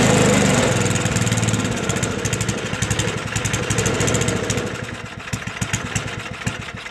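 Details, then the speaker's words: Toro 421 snowblower, rusty and unstarted for about 2 years, cold start after a couple of pulls: small single-cylinder fires, then beat slows and thins as it runs short of fuel with the fuel valve shut; fuel starvation. "Well, it started, a couple of pulls, so let's try it again. Might help if I turn the fuel on."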